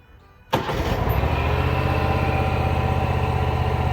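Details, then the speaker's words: Mower deck test run before work on a broken blower housing: the engine catches at once and settles into a steady, even drone with no knocks or scraping; the newer deck sounds fantastic and runs normally. "okay the deck sounded fantastic that deck is newer so I didn't expect too many problems"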